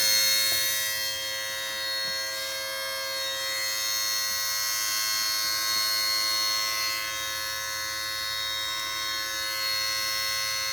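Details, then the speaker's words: Mercedes SLK230, key on, engine off but warm after a drive: steady high-pitched electrical buzz with fixed tones, began after shop visit; compressor ruled out by stethoscope, traced by touch to a vibrating module. "if I didn't know better, I would say it sounds like the compressor. But I did the stethoscope trick with the compressor, and it didn't seem like it was coming from there."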